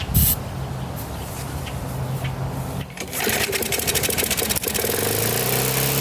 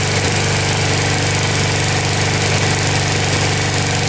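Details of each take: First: Older Briggs & Stratton 3.5–4.5 hp lawnmower engine with metal tank, after carburetor diaphragm replacement and cleaning: catches after a few coughs, then runs fast, high-pitched and unstable; overspeeding, governor spring set too high and needs loosening. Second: Older Briggs & Stratton 3.5–4.5 hp mower engine (carburetor on metal tank) after carburetor diaphragm replacement and cleaning: steady, even single-cylinder beat at moderate speed with no misses or surging. Normal running.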